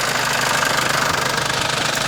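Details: Mercedes-Benz Sprinter OM651 diesel at idle: fast even metallic rattle from vacuum pump, disappears when brake booster hose removed, returns under load; worn internal drive splines, a chronic fault; replace pump or enlarge drive lubrication jet.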